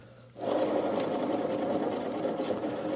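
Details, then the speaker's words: Yard Machines riding mower deck spindle spun by hand gives a gritty, crunchy, rattling whir from worn spindle bearings, which are to be replaced. "yep don't like that listen definitely crunchy"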